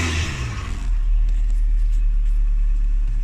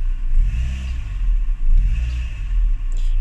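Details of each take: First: Renault Twingo after cleaning the gunged MAP sensor and intake to cure throttle hesitation: engine rumble climbs cleanly and settles without surging; smooth acceleration, much improved from stalling, slight judder still present, throttle body clean planned next. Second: Renault Twingo after cleaning the MAP sensor to cure throttle hesitation and stalling. The engine rumble rises and falls unevenly under throttle with brief stumbles; a slight judder remains but is much improved.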